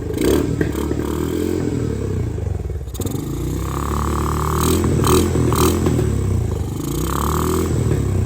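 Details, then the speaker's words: 2017 Honda TRX250X ATV, believed 2017, bought thrashed: fine with light throttle, but off throttle the uneven single-cylinder putter sags toward dying with sharp backfire pops; carb jets or valve clearance suspected; backfire from carburettor vacuum leak. "okay so if I lightly press the throttle it's good to go but the moment I let go of it you can hear it's starting to die and it's backfiring"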